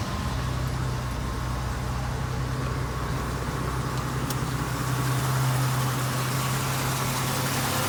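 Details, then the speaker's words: 1980 Jeep CJ-7 Renegade, low-mileage barn find sat since 1996, factory exhaust and muffler with no leaks: steady, even idle hum holding pitch, no knocks or rattles; healthy engine. "So as you can see, this is a good running, driving Jeep. It does drive phenomenal, straight as an arrow, smooth, no clunks or rattles."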